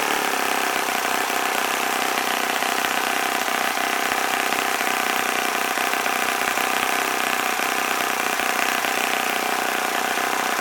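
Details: OS FS-40 Surpass glow four-stroke after bearing replacement rebuild, new Enya #3 plug, 11x6 prop at about 9,400–9,500 rpm, warmed up: steady high-pitched buzz at full throttle, no misses or surging — normal running.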